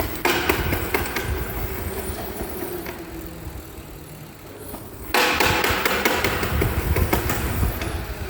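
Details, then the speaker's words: Rapid knocking noise, sharp irregular knocks about three a second over the motor's whir, from stripped teeth on the nylon reduction gear of an e-bike mid-drive or geared hub motor, the gear designed to fail first. "When you have stripped teeth on a gear, as illustrated here below, it can sounds like a rapid knocking noise."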